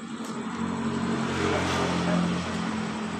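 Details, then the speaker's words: Honda Beat Pop scooter that sputtered and stalled while riding, after replacing fuel pump and fuel pump filter, fuel pressure 42 PSI: steady, even single-cylinder beat with slight throttle swell, no stumbling; normal running. "tekanan sudah berada di normal 42 PSI jadi motor ini langsung hidup dengan normal"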